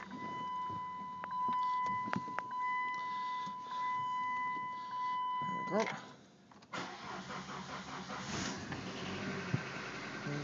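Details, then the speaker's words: Cold start of a 1995 Dodge Stratus with the 2.0-litre Neon engine and 5-speed manual at 240,000 km, its last run before being scrapped for unibody damage: door chime, a brief crank, then it catches at once into an even idle. Normal, healthy cold start. "yeah we'll start this up one last time for anyone that wants to hear the motor"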